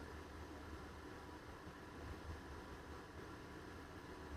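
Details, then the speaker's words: Dometic RV furnace blower after replacing the squeaking motor: steady even fan rush with low hum, no squeal or chirp, blower running smoothly before gas is turned on. "Fingers crossed, folks. Okay, fan is running, no squeaking."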